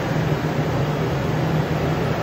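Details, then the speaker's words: 5th-gen Toyota 4Runner, first remote start of the day via Start-X kit: fuel pump primes, then steady low even rumble with no knocks or misses, a smooth settled cold idle. "You can hear the fuel pump prime, and it starts up."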